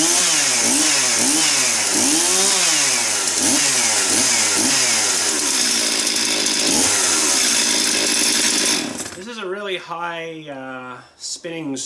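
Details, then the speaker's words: Chainsaw (270) test-run after servicing and bar/chain tensioning following a big cutting day: loud high-pitched buzz surging smoothly with throttle then settling; revs high, said to be for emissions; normal high-revving run. "apparently it's something to do with the emissions my buddy was telling me there he works at still at the dealership here he says it it spins up really high to keep the emissions down"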